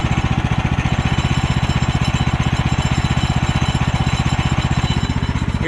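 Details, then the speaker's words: Woodland Mills HM130 portable sawmill engine idling: fast, even thumping with a faint ping as the centrifugal clutch starts to engage; an idle set too high causes premature engagement and a worn clutch. "If I had that idle just a little bit higher than what it is, you're gonna have that pinging sound. That is the sound of the clutch starting to engage, wearing it out prematurely."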